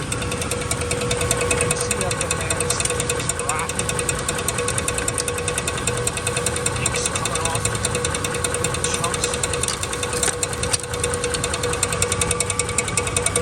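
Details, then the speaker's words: 2004 Dodge Dakota 4.7 at idle: an uneven knocking scrape two or three times a second, caused by the rotted iron block's rust pushing the spacer plate into the flywheel so the plate rubs it. "This plate. Rubbing the flywheel. Making a noise. Doesn't sound good."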